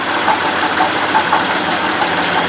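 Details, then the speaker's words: Buick Lucerne at idle, stethoscope-style listening at alternator and idler pulley: steady, even whir with no grinding, squeal or rumble; alternator and idler sound normal, noise traced instead to water pump bearing with play. "you can see it sounds pretty normal there's the uh idler pulley for the it's all normal"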